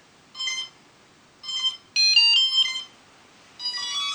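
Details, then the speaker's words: Pixhack 2.8.4 flight controller quadcopter with old-style linear (SimonK) ESCs: high electronic beep groups about once a second. ESCs warn of no PWM signal because the safety button isn't pressed; beeping stops once pressed and armed, so not a real fault. "the SC's are beeping right now because I'm using an old-style ESC and that currently there's no PWM values going to the flight controller"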